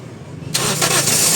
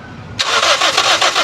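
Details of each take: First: Toyota Vios that died while driving, after installing new fuel pump restoring pressure to about 40-56 psi: brief crank, catches at once, settles into steady even run without stumble or misfire. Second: Toyota Vios that died while driving; the fuel pump assembly was already replaced but it still won't start. Steady fast cranking, about six pulses a second, never firing; fuel output at the line looks weak and pressure (should be 40–50 psi) is being checked. Crank no-start.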